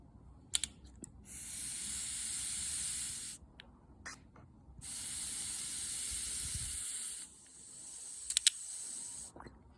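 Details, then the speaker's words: Small-engine carburetor, probably off a pressure washer: air is blown into the fuel hose while the float is pushed up to simulate a rising fuel level. Bursts of airy hiss keep flowing past when it should shut off. The float needle valve is not seating. "there you go you can actually hear that the needle is not seating properly in this carburetor"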